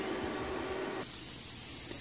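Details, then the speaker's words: Plasma cutter, compressed air line just hooked up and leaking a little: steady airy hiss with no motor behind it, easing slightly after a second; compressed air leak. "all right i got the air hooked up it's kind of leaking a little bit"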